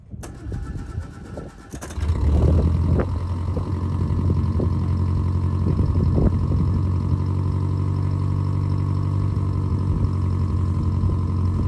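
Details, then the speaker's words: 1949 Canadian Morris Minor Lowlight small four-cylinder just started cold in neutral with choke out: settles into a steady, even idle at slightly raised choke speed, no knocks or misses, a healthy cold idle. "now these earlier engines in my opinion always sound a lot smoother have a little listen it's a little bit lumpy CH got choke out"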